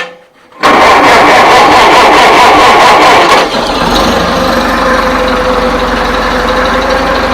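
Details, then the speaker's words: 1955 IH Farmall Cub tractor, started after turning the fuel shutoff back on: brief cranking catches quickly, settles into an even, quiet run like a sewing machine with no knocks or misses; charging; normal start and running. "Probably one of the nicest running cubs I've ever had. It sounds like a sewing machine. She's really quiet, for sure."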